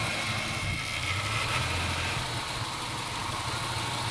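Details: 1996 Ford Falcon EF 4.0 inline six idling with an uneven, lumpy beat and occasional stumbles in park, neutral or drive. It is an idle misfire that is smooth under load; compression is in spec, there are no vacuum leaks and timing chain tension is correct.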